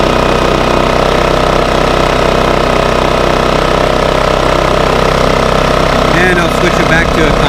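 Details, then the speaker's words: Bailey 3700 W portable generator after carburetor cleaning, a new spark plug and the eco servo rotated back, running in eco mode: a steady, even drone with no hunting, misses or surging. Normal steady running. "the motor seems to just be running just fine once i got that servo rotated back"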